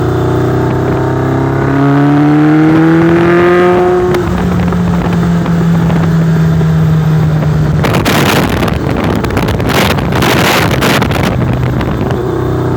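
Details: Warm motorcycle on small throttle: revs rise then sag with an uneven, stumbling beat while testing a misfire, cause unclear.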